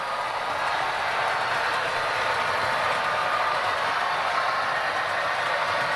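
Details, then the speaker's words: 2012 Hornby Class 60 (EWS) locomotive after gearbox on bogie flushed with WD40 to cure running noise: smooth even light whir with no rumble or grinding, run forwards and backwards at rising speed; normal quiet running. "I think you'd agree with me that we have silence"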